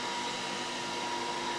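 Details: Laser engraver factory fume-extraction fan at maximum speed with only the exhaust hose attached, no inline fan, measured 2.93 m/s by anemometer; steady airy rush with faint constant tone, no rubbing or ticking; normal running.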